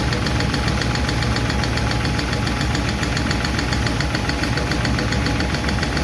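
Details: 1951 Chevy truck engine at steady idle after starting, with light, fast clicking a few times a second; better than before, but number 4 intake and number 2 exhaust valves still clatter while number 2 intake seems okay.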